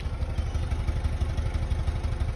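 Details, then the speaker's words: 2004 Buick LeSabre, about 150,000 miles, idling at the tailpipe with a steady, uneven chuff about six times a second, a misfire blamed on a failing ignition module. "it's got a miss so we're gonna try to tackle that back"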